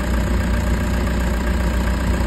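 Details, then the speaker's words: Toyota HiAce diesel after new idler bearings to cure engine noise: steady, even idle with a deep low rumble, no ticking, squeal or bearing noise; noise gone, smooth normal idle. "So yun wala na yung ingay mga [Musika] kayabe. So smooth na mga kayabe."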